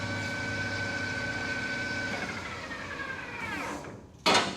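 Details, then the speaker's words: New Precision Matthews PM 1660-TL lathe on its first run and break-in, in the high gears at about 900–1200 rpm: a smooth, steady gear hum that winds down evenly before a single clunk, quieter than expected. Normal high-speed running. "very nice nice and smooth it's not it's it's a lot quieter than i expected it to be in these high gears right there it really is"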